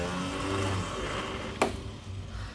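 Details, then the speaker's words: 1979 Triumph Spitfire, first start attempt after 2 years sitting, battery charged, using a remote starter switch; starter spins freely with a steady whir and a single click but no cranking, the Bendix drive is not throwing out to engage the flywheel. "the starter worked last time as you can tell from that noise the Bendix is not coming out"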